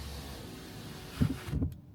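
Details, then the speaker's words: 2025 Mercedes C200 window raised by voice command, volume boosted: low motor hum as the glass rises fast then eases off before a soft stop near the top; normal power window close. "Another thing I noticed is that the glass doesn't have one speed coming up. It starts off quick, and then when it's almost to reach the end of closing, it slows down."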